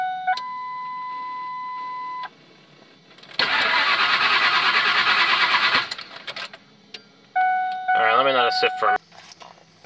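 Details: OBD2 Ford F150 after fixing remote oil filter lines and a corroded fuel pump +12 V wire, no DTCs: chime tones, then about two seconds of cranking that catches and dies; runs seconds then stalls, owner suspects bad IAC.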